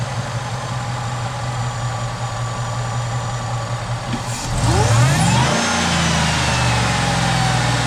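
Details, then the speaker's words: Supercharged 2008 Chevy Tahoe LS V8 after lifter replacement, no codes: steady even idle and clean rev settling smoothly, no ticking or knocking; normal healthy idle and rev. "Everything sounds good. I'm not hearing any noises. Really smooth."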